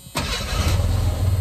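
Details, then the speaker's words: 1985 Ford Ranger with ongoing fuel starvation issues (fuel pump or fuel tank suspected), restarted after refitting parts: short crank, catches immediately and settles into a steady, even low idle; starts right up and sounds good. "mean it starts right up and it sounds pretty good"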